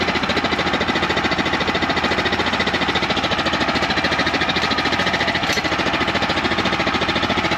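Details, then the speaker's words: Champion 100812 generator (2019), used once then sat about four years, revived and running 5 minutes, under load: chugs at about 3.5 beats/s with an uneven, lumpy beat, idling real low; owner unsure whether it should idle up under load. Rough running. "It still ain't right. It It sounds like it's idling real low, but I don't know if the generator is supposed to idle up under load or not."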